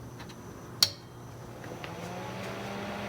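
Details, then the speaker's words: Atlas Sound CP400 commercial audio amplifier, repaired (fan low-speed resistor replaced) and on test: relays click at switch-on after slight delay, then fan spins up to a soft steady whir; normal power-up. "you can hear the fan kick in there there's a slight delay relays uh clicked so all looking good at that point"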